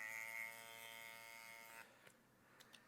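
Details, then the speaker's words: TATVIDA rotary tattoo machine giving a steady, high-pitched, rough buzz. It gets unpleasantly loud above about 9.5–10 V and sounds odd with very soft cartridges; the cause is unclear, and it still tattoos. "Après, ça tatoue quand même, mais le bruit, il est désagréable."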